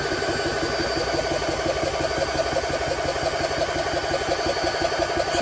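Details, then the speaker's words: GX SC2/3 high-pressure compressor pump, pumping (about 100 to 300 bar in 5–6 minutes): a steady rapid pumping beat of about three strokes a second, even and unstrained, not very noisy, no knocks or squeals. Running normally. "Yeah, so it works okay. It's not very noisy."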